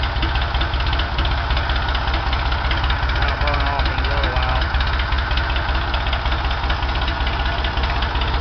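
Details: Ford 335 industrial tractor diesel, first start after in-frame rebuild, injectors bled, no cooling system yet: steady, even clatter at settled low idle with no knocks, clunks or blow-by, good oil pressure; normal idle.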